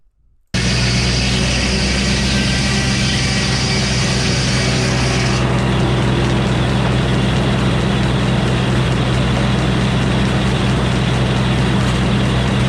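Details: 48-inch steel-bit sawmill blade on hand-sharpened used bits that were lopsided; loud steady saw drone with engine rumble, cut roughening and labouring partway, blade running hot and touching outfeed table; fixed by fitting new bits: overheating from badly sharpened bits.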